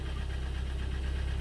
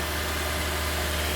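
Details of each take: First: 2012 Hyundai ix35 with G4KD petrol engine, 124,000 km: idles with a deep, fast, even piston knock, audible from the cabin; engine then rebuilt with block bored 0.5 oversize, repair pistons, new exhaust camshaft and oil pump. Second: 2012 Hyundai ix35 G4KD engine, 124,000 km, after rebuild curing piston knock (0.5 oversize bore and pistons, oil jets, new exhaust cam and oil pump), held at 2000 rpm: steady, even hum, no knocking or ticking.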